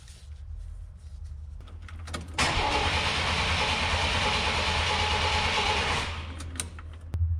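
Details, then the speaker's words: 1993 Chevy Cheyenne work truck after a tune-up: the starter spins the engine at an even, fairly quick rhythm for several seconds but it never catches, crank no start. "I don't know what happened guys [Music] it's one of those things you like super careful about and it's a pretty simple job and it should be all set up exactly how it's supposed to but there's no sign of life whatsoever"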